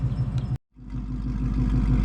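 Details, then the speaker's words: 2024 Ford Mustang GT V8 with Kooks long-tube headers and high-flow converters, idling: deep, lumpy burble with an even pulse, briefly cut, then a steady loud idle; idles cleanly through the louder exhaust. "what do they sound like to you at idle?"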